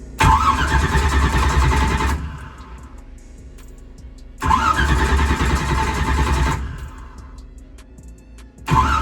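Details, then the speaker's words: Drag race car on its old starter, battery nearly fully charged, ignition off: two sluggish cranking bursts of about two seconds each with no firing. Cranks slower than it should; owner suspects the battery or the starter. "it's starting to crank over a little bit slower and either my battery is going bad or either the starter is"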